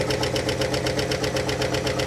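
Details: Abandoned 1958 Mercury Turnpike Cruiser V8, first drive in 30 years, vacuum lines disconnected: idles with sharp even tick about eight per second, new after driving; lifter tick at cylinder 4, passenger side, where one of the push rods is not oiling.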